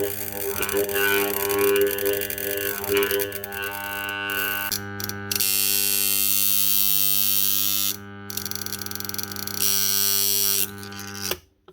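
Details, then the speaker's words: Makita HR2811F SDS hammer drill armature on a growler at 220 V 50 Hz: constant mains hum with loud chattering buzz as the steel blade vibrates against it, showing shorted windings; burnt-out armature replaced. "And the reason it makes that noise and causes this stick to vibrate, this metal rod, is because of the frequency."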